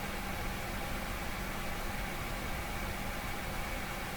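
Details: Vacuum-tube car radio with a non-working vibrator, run from a high-voltage shop power supply into its push-pull output stage: constant hiss over a steady low hum, no program audible; something is wrong with a tube.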